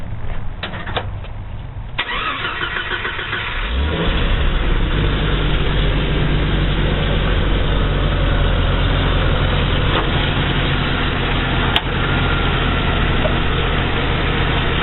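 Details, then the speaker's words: 1988 Jeep Cherokee with a freshly swapped, uncleaned engine starts cleanly and settles into a smooth, even idle with no knocks or misses; runs good. "but instead it runs good"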